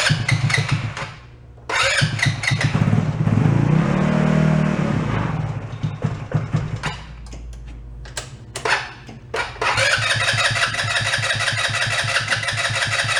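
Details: Two-passenger CVT ATV, about 150cc, sat for a while, cranking after brief battery charge and starter fluid: uneven cranking bursts, a stray catch, no run; not getting fuel, water in carb suspected.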